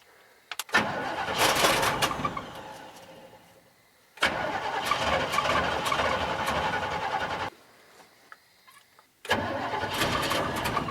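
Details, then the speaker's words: 1965 Chevrolet C10 stepside, carbureted, with little fuel: repeated long cranking bursts with pauses and no clean catch; hard starting, carburetor may need priming with gas. "might need a little bit of help priming on that carburetor let me get some gas real quick every time I get around to messing with this whole truck it's like a will it run"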